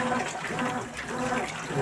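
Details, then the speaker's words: Consul 12 kg washing machine brought in for a leak, draining test after repair with drain hose reconnected; steady rush and gurgle of water through the hose, no knocking or grinding, draining normally. "Tá OK tá indo tudo corretamente não tem nenhum problema tá tudo de bom"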